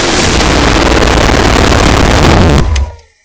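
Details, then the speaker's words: 454 Big Block Chevy stroked to 496 for a 1968 Chevelle, test run held at about a quarter to a third throttle: loud, deep, choppy exhaust rumble firing evenly with no knocks or misses, then cut off cleanly; normal. "That sounds pretty good for about a quarter to a third of the throttle. I'm not hitting it all the way here, just sitting here running it up."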